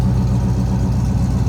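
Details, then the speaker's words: 1972 Chevrolet Chevelle, 6-litre Chevy V8 with 700R4 overdrive automatic, started easily and heard from the rear at the exhaust; a deep, even V8 rumble with a steady, lumpy idle beat and no misses or knocks. Healthy idle. "Little rumble coming out of that. Again, 6-liter Chevy V8 underneath there."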